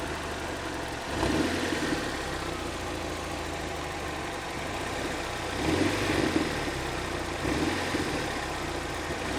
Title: Странный стук в двигателе 4A-FE